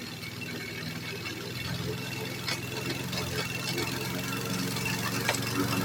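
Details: Repaired roadside-found Troy-Bilt variable speed push mower, after one-pull start: small single-cylinder engine runs at steady even pace, no misses or knocks; normal running.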